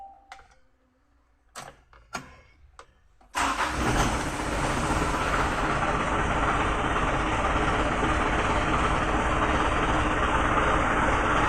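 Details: Mitsubishi Canter diesel truck that would not start, after the fix: a few quiet knocks, then it catches cleanly and settles into a steady, even idle with no misses or knocks.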